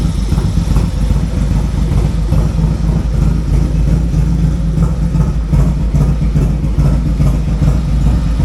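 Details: Harley-Davidson with big cam, tuner and air cleaner, fitted with Fuel Moto 2-into-1 exhaust; deep, loping V-twin idle with steady low rumble and no knocks or ticks, healthy normal idle.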